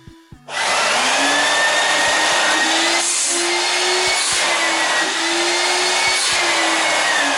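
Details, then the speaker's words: 1988 Numatic WVD 750 industrial vacuum, duplex with two B2-1004N motors (1600 W combined): steady high rushing whine with a thin wavering squeal on top; motor bearings a bit dry. "Monster. Bearings are a bit dry."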